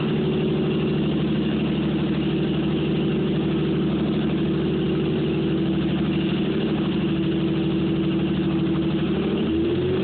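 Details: Toyota Supra engine running just after starter rebuild, first cold crank: steady high-pitched whirring rotational whine from an extra part added to the rebuilt starter.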